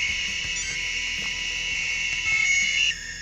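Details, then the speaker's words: Maytag washer interface control board at power-on: a loud, steady, high-pitched buzz that then drops away as the interface cuts out. "y si nosotros intentamos prender esta tarjeta interfaz enciende pero se produce un sonido enteramente desagradable todo el tiempo"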